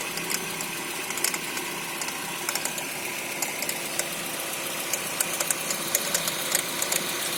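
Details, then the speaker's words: 2011 Renault Fluence, cold engine, worse on acceleration: sharp irregular metallic ticks a few per second from the engine bay; mechanic suspects a vibrating tensor that has moved off its mark, unconfirmed. "Vou ligar o carro aqui, que esse problema aparece mais quando tá com o motor frio."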